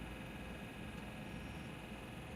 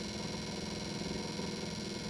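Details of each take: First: Cadillac Eldorado after HVAC blower motor replacement (old one wobbled and scraped), engine idling, fan on low, heard outside: quiet, even gentle hum, no rubbing or ticking; normal blower motor. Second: 1977 Cadillac Eldorado HVAC blower motor: a steady motor drone with a rhythmic wobbly, wavering hum instead of a clean whir, not grindy and not the high pitch of the AC compressor; worn blower motor bearings, replaced with a new motor.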